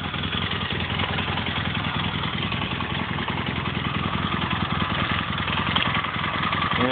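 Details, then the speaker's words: Steady, even motorcycle idle with a quick regular beat after a valve adjustment, warmed up; the previous valve rattle seems gone and it sounds healthy. "everything sounds pretty normal over here that rattle is definitely"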